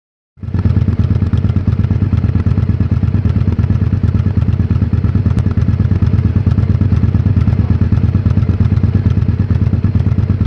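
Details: 2001 Honda XL1000V Varadero idles lumpily and unevenly, with heavy low thumps about three a second and loose clatter over the top; rough idle, cause not yet clear.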